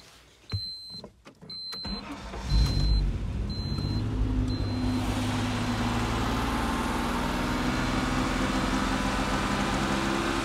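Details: Ford Sierra Estate Mk1 4x4 Ghia 2.8 with a cold-start problem: a few dash chimes, a brief labored crank, then it catches into a rough, uneven low rumble. Hard cold start; cause unconfirmed.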